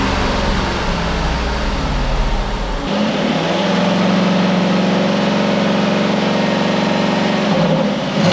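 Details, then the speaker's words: Flood-damaged 2014 Jaguar XK V8 (Ford-stamped engine) after rebuild, all fluids, radiators, power steering and aircon fitted, run up: smooth steady hum at raised speed, no knocks or ticks, settling back evenly; running perfectly, normal. "engine's all running perfect looks good in there so it is ready to roll"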